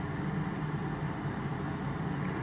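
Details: Honda Element radiator cooling fan running, heard at the under-hood relay box during diagnosis of A/C blowing warm at stops: steady whooshing rush with low hum, no rattle or scrape; fan operating normally.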